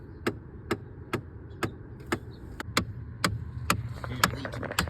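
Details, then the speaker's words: 2010 Chevy Impala blowing cold on passenger side and warm on driver side; with key on, blend door actuator behind the dash clicks sharply, steadily about twice a second, felt by hand as the clicking source. "Put your hand on it back here and you can feel is definitely this actuator right here that's clicking."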